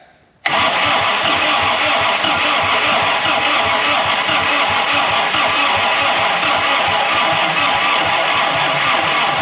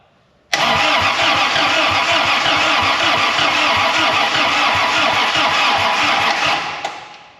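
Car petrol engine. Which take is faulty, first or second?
first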